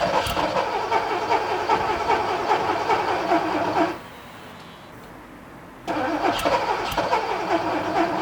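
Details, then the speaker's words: Porsche 928 hard start: rough, uneven cranking churn, a brief quiet gap, then it catches again; took 5-10 minutes and 10-12 key turns to start, injectors heard starting to squeal; long cranking, cause not confirmed. "that wasn't a massive surprise that it took so long um I don't know how much I show you but it probably took me 10 minutes to get it started 5 10 minutes I probably turned the key 10 12 times you know cranked it nothing"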